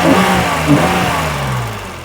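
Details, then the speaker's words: 1985 BMW 635CSi E24, first time running in 12 years after crank sensor fix and fuel: smooth even rev climbing and settling cleanly, not skipping a beat; normal revving. "running like an absolute champ I mean not even skipping a beat"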